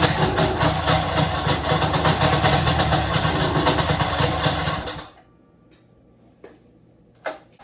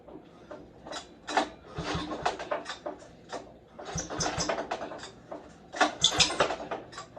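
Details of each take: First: Snowmobile two-stroke after replacing cooling fan bearings and re-tensioning the fan belt, test run: pulls over after a pause, settles into a steady, even buzzing idle with no grinding or squeal from the fan. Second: Snowmobile pull-started cold after seizing when warm: each rope pull brings a raspy high squeal from totally worn cooling fan shaft bearings, which seized tight when warmed up and spun the belt; bearings to be replaced.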